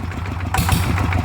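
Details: ET95 single-cylinder diesel upgraded to 120 with new spring and performance intake/exhaust capsule muffler, first run after rebuild: steady, even thumping beat, no knocks or misses; normal idle.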